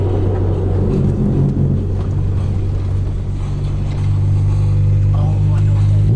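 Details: 1991 Honda Civic Si on a longer road drive after fixing low-rpm bogging (root cause a fuel pressure regulator; FITV, fuel filter and O2 sensor also serviced): steady low drone, pulling evenly with no stumble or hesitation at low revs; normal running.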